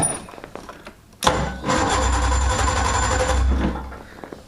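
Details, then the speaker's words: Cold start of a two-stroke snowmobile (sled) while holding the throttle: a sharp catch, then a rough low burble for a couple of seconds that fades and dies. It still needs more choke. "almost I guess we still need some choke almost here we still need choke I don't even know how to start this thing"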